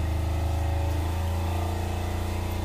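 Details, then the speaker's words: Six-year-old Fischer Panda 7.5 kW generator with Kubota 11 hp diesel, just started after fuel system bleed: steady even low hum, constant pitch, no misses, knocks or surging; running well. "all right so you're running good"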